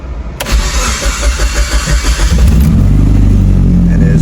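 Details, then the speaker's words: Built Mitsubishi Evo 8 after idle retune, no throttle: about two seconds of cranking, catches quickly, settles at once to steady target idle RPM, smoother and happier than before; earlier it needed long cranks. Normal start and idle. "goes right to the RPM. Engine sounds happier. Car runs smoother. Right at the target of RPM where I want it at."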